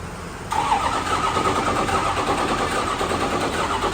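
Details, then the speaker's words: Ford 6.0 L Power Stroke diesel from an old burnout truck, first daylight run after engine and transmission install: short crank, then it catches and runs ragged and unsettled, with air still trapped in the fuel system. "still got a bunch air in the system but she'll go won't you baby"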